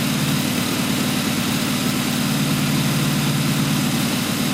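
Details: Blown 355 Chevy small-block V8 on the stand: Scat forged crank and rods, forged blower pistons, Dart aluminum heads, solid roller cam, Weiand 6-71 blower, twin 600 Holley carbs; deep steady idle, even throbbing beat, no misses, targeting about 1,200 rpm at 12.8:1 air-fuel. Normal idle.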